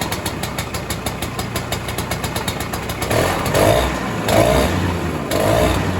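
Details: 1967 Ski-Doo Alpine twin-track snowmobile, two-stroke, sat many years, now on its own fuel, about 75°F: even putter at idle, then smooth throttle blips with no misses; idling fine and tunable.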